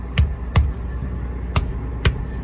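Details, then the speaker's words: Trailer tire struck with gloved fist: four sharp thumps with a crisp, lighter ping and bounce, unlike the dull thud of the flat tire beside it; normal tire inflation. "It's a lot, kind of a lighter ping. It's got more bounce to it."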